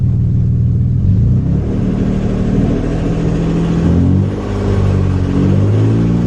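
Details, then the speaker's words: 3rd-gen Acura TL Type S engine after rebuild and reassembly, no alternator fitted, revved lightly. Rough, rumbling drone that doesn't sound right; owner suspects a bottom end issue. Cause not confirmed. "that doesn't sound good [Music] yeah we might have a bottom end issue too"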